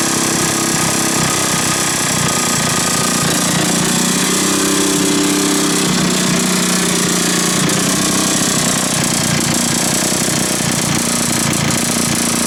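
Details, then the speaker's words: 1980s Mountfield AV85S two-stroke lawn mower: loud, harsh rattle with uneven knocking under the running engine; owner guesses a failed big end bearing. "go now so I reckon we've got a big end bearing that's gone that's what I'm guessing"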